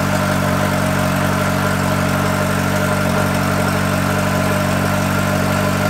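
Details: Yamaha XJR motorcycle after oil-leak repairs, carburettor synchronisation redone and idle adjusted: smooth, even four-cylinder idle, steady low hum, no puffing or ticking at the headers; the earlier noise is gone.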